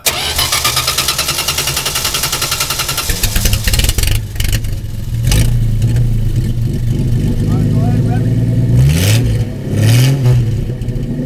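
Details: Dodge Dart slant six with straight pipe: several seconds of steady cranking before it finally catches and revs up rough and loud; hard start from flooded cylinders.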